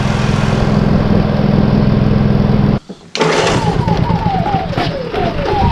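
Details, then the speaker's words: Honda EU30IS (EU3000IS) generator with GX200 engine after rebuild with new piston, rings and gasket and timing reset: starts with the pull handle after a short break and settles into a steady, even drone with no smoke, misfires or knocks. "with it starts with the pull handle no smoke run smooth"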